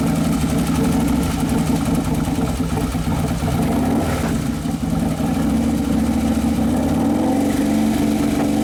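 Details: 2011 Harley-Davidson Road Glide FLT Twin Cam after motor and primary repair, settling at the end of its first heat cycle: steady loping twin beat that rises cleanly with throttle and drops back without knocks or rattles. Normal running.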